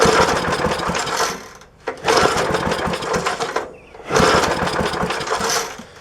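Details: 1966 Briggs & Stratton lawnmower with point ignition, unrun for probably 15-20 years or more, started on fuel poured down the carb: ragged bursts that fade and surge, then falter. Engine dies from loss of spark caused by dirty breaker points.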